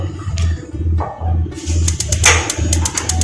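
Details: Gas water heater that released gas but would not spark, after soldering, tested with a magnet on the switch: sharp evenly spaced ticking clicks over a pulsing low hum, igniter sparking properly again.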